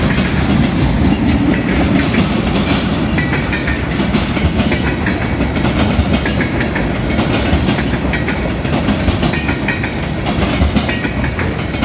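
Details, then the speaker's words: Southbound CSX train rolling past, slow then picking up speed; heavy rumble with loose, irregular clicks and clacks as cars pass, wheel clatter, observer suspects a bad spot in the track, cause unknown. "There's like a bad spot in the track or something."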